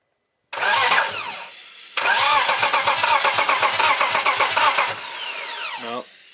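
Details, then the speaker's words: BMW E90 with a turbo M52 swap, cranked with an inline spark-tester light on a cylinder: two bursts of cranking at about four beats a second, never catching; the tester shows no spark, apparently one wire away. "is it in there yeah it's in there you got no spark dude no sparky spark dude"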